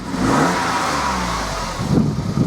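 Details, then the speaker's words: 2006 Toyota Yaris 1.0 VVTI after replacing snapped middle exhaust section and reconnecting lambda sensor: catches, revs briefly, settles to quiet idle with no blowing or rasping exhaust; normal start and idle. "Time to give her a start up. Go, nice and quiet."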